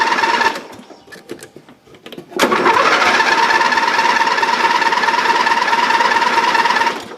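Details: Dynamark riding lawn mower right after the carburetor was removed and cleaned of green gunk: a few clicks, then steady whirring cranking for several seconds; the engine turns over but won't catch yet.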